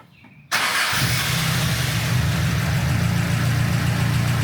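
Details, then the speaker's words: 1972 Celica with a hybrid 18RG/18RC engine, after rod bearings, gaskets, clutch and PCV work. The idle is better, with a large vacuum leak suspected before. It cranks briefly, catches at once and settles to a steady, even idle: a normal start and idle. "In fact, the car is much better off idle-wise than it was before, because I'm fairly certain that it just had a giant vacuum leak before, and it wouldn't idle properly because of it."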